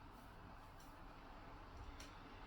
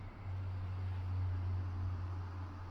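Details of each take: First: Dyson AM09 Air Multiplier fan heater after a year of use, at lowest fan speed 1 in jet focus mode: a soft, even airy hiss with no rattle or tick, still somewhat noisy; fan running normally. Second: Dyson AM09 fan heater after a year of use, lowest fan speed 1, switched from jet focus to wide mode: steady low hum with airy hiss and a weird tone change, less powerful; abnormal airflow tone.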